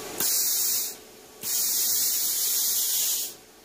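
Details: Plasma cutter in cut mode, air pressure set mid-range on an unfamiliar gauge, gas dial fully open: two clean, even air bursts of about one and two seconds, steady flow with no sputter; normal torch purge.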